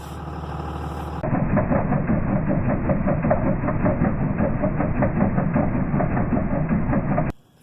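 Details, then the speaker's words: 2001 24-valve Cummins diesel truck idling: quick rhythmic chirping squeak, about two to three a second, from a failing tensioner pulley bearing; replacing the pulley stopped the squeak. "hopefully that sound shows up on camera I've got a squeaky bearing"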